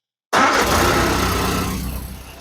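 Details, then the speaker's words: Austin-Healey Frogeye (Bugeye) Sprite small four-cylinder, first start after valve clearance adjustment, points gapping and tach drive gear repair, choke partly out, in neutral: catches and settles to a steady even idle, no misses or ticking; much better than before. "Perfect. That sounds way better than it did before I did all those adjustments."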